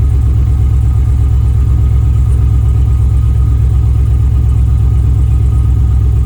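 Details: 6.0 V8-swapped Camaro restarted after tidying wiring and commanding the fuel pump on; heavy, lumpy low rumble with an uneven beat about three per second: misfire traced to a reversed coil harness.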